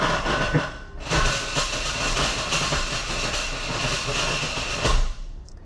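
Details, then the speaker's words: 2020 Hyundai Kona Electric, 149,000 miles: harsh metallic grinding and rattling when shifted into drive, continuing even after it dropped back to park; a failed bearing destroyed the reduction gearbox, causing loss of propulsion. "So, if we put it into drive, I take my foot off the brake. You can hear those grinding noises."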